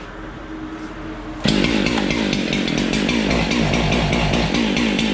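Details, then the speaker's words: Husqvarna 371 XP chainsaw that backfires, stalls and won't rev: it sits at a lumpy, burbling idle and never climbs in revs. A faulty ignition coil module, even though it still had spark. "now it'll idle it won't rev up at all it just kind of girdles a little bit it doesn't die but it doesn't it doesn't run either"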